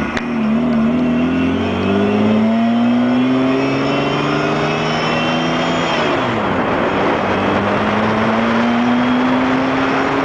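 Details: Mazda MX-6 KL-ZE V6 petrol revving with a whine that climbs in pitch with engine speed; owner does not know the cause.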